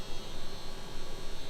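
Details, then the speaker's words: Ferrari F430 Spider convertible top cycling: low, steady electric hum with faint buzz from the top's hydraulic pump, heard as the rear deck lid and top move; normal pump operation, though the top briefly got stuck. "And you can really hear that pump over there."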